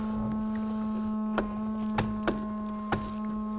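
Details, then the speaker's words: 1980 Chevrolet Corvette C3 5.7 V8, sat idle about 10 years: windscreen washer pump steady electric hum that never cuts out, with odd clicks, vibrating somewhere; washer pump running continuously, needs disabling, cause unconfirmed. "right we have to try and find that and disable it I feel it vibrating down here somewhere"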